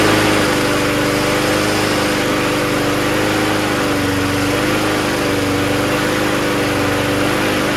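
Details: Toro GTS mower with 6hp Briggs Quantum engine, after carb cleaning and fuel line replacement, needs priming to start: smooth, even buzz at steady speed with no surging or hunting. It runs properly on its own with strong self-propulsion.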